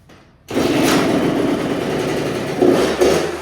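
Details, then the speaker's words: 2000 Kawasaki KX65 two-stroke, first start after a rebuild with the choke on: it kicks into life after a short pause and settles into a crisp, even buzz, picking up cleanly on small throttle blips; runs normally. "Easy enough. I guess it does run."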